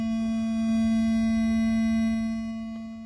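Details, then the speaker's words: Ford SYNC replacement module, car not running: steady pure hum at constant pitch on audio output, also on Bluetooth; electrical background noise from module, replacement unit did the same, cause not confirmed. "it's on sync just makes a humming noise"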